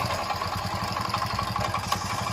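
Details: Hero Passion Pro single with oil leaks and all oil seals gone, in for full engine recondition: rapid metallic clatter ticking steadily at idle; timing chain noise from broken tensioner roller.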